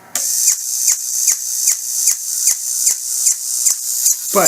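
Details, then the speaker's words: Drive motor in an ICT 6 series bill acceptor with a smashed gear tooth. A high whine broken by a sharp pop about every 0.4 s as the gear skips the tooth; it still works but can cause bill rejections, and the fix is a new motor. "as you can hear with that popping type noise, it's basically skipping the tooth."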